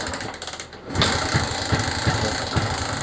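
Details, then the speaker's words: Suzuki Smash motorcycle that keeps stalling: uneven, stumbling low putter with irregular pops ("blebek blebek"), unable to hold an idle and dying easily. "Nah nyalanya cuma gitu ya blebek blebek blebek Kay gitu nah k gu ya k gitu ya mlebeklebek gak bisa langsam kemudian gampang mati"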